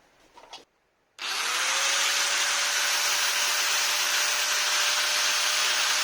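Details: Maktec MT960 4-inch angle grinder test run after replacing gear-head bearing. Spins up after a short pause to a steady, even high whir with a clean constant tone, no grind or rattle; normal running.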